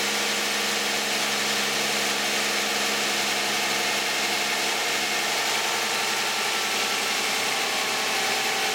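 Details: 2010 Toyota Camry 3.5 V6, 93,000 miles, Pennzoil Ultra 5W-30 synthetic with Wix filter, cold start idle: smooth, even with light steady top-end tick and hiss, no knocks or rattles; quiet, normal cold idle.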